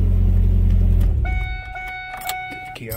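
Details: 1997 Ford Ranger, 2.3L inline-four, 5-speed manual, towed in with no start after clutch pedal popped; after fixing a broken clutch pedal bushing it starts with the pedal pressed, runs smooth and even about a second, shuts off, dash chime rings; normal running.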